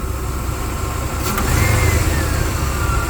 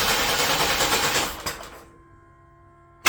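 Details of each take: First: 1993 S10 Blazer V8 after engine install, running a little hot, noisy alternator: deep, steady low rumble with even firing through a light rev, no knocks or ticks; great oil pressure, sounds good. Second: 1993 S10 Blazer, first start after engine swap, battery charging: two long bursts of steady cranking with even compression beats, never catching; distributor found installed 180 degrees out, later fired off camera. Crank no start.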